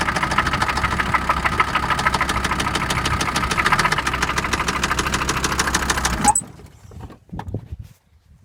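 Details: OM662 diesel at idle: sharp, regular ticking knock that keeps time with engine speed until shutdown; source not pinned down.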